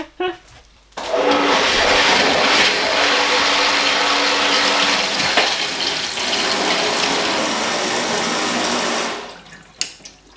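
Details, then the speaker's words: Hydrophore pump at a countryside farmhouse, fed from a newly laid pipe, after priming with extra water: steady even hum with water rushing from the tap, no surging or rattle; primed and working normally. "I guess it works. I think I would be confident saying that it does work."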